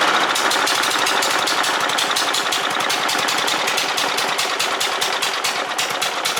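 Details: Toro or Poulan push mower, small single-cylinder engine after carburetor ultrasonic cleaning and fresh gas: steady rapid firing with a dry rattly bark, no load, running smoothly.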